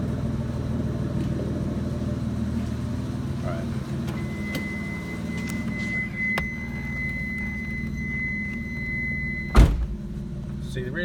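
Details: Mitsubishi 3000GT (GTO) with a slightly leaking oil pan gasket; an even, low grumbling idle with a steady door-open chime over it, running smoothly with no knocks or misses.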